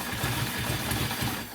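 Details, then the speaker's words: 2002 Ducati Monster with a no-start caused by a fuel filter that had vibrated loose inside the tank; now refitted. The engine catches at once and settles into a steady, even idle with no stumbling: normal start and idle. "she fires right up. So that was our issue."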